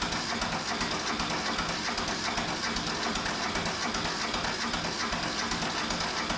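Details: Neglected Mitsubishi MT372 diesel tractor, long sitting, cranking on a weak battery with charger: steady chug about 2.5 per second but never catches despite black smoke.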